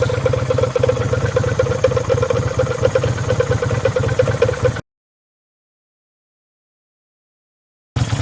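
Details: Kawasaki VN800 V-twin chopper, in a build to fix a big engine knock (rotor removed), has a loping, even, clean beat with no knock, then silence; the engine sounds healthy, with normal running.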